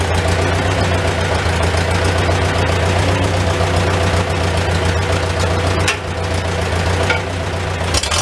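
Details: Old Farmall tractor with a finicky updraft carburetor, idling in a tight, smoky shed, muffler cap off; low, steady idle beat with a few shed clicks. Normal idle, running pretty good.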